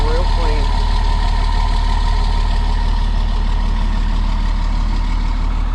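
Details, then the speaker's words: DT466 diesel in an ambulance conversion, cold start at about 32°F after sitting about three weeks, glow plugs cycled first. Settles into a steady, even idle around three firing pulses a second, no misses or knocks. Normal cold start idle. "and we'll give her a cold start she didn't start about three weeks i don't think there we go fired right back up and as you can see burning real"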